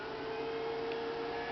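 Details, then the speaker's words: Home-built wind turbine charge controller test setup: 12 V solar inverter's cooling fan gives a loud steady mid-pitched whir, no rattle; normal fan noise. "Yeah, you hear that thing? That thing is loud. That's my 12 volt solar. These guys are quiet. The fans are."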